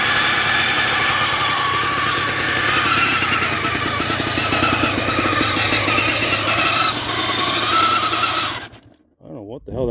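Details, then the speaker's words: 1979 Yamaha DT175 Enduro two-stroke, first start after plug cleaning and fresh gas, won't go into gear: loud steady howl over busy idle; transmission howl, gearbox oil found unchecked, clutch suspected stuck. "she fired right up but I can't get it in gear there a lot of a lot of howling going on somewhere too I don't know what it is"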